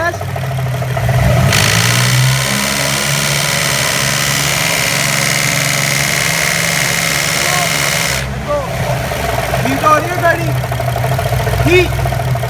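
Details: 2000 Jaguar S-Type 3.0 V6 revved gently shows a loud steady hiss that rises and fades with throttle, then settles to idle; owner suspects an intake manifold leak, unconfirmed.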